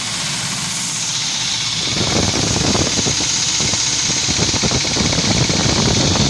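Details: UAZ Patriot engine at idle: rapid rattling knock about four per second over the engine note; cause unclear.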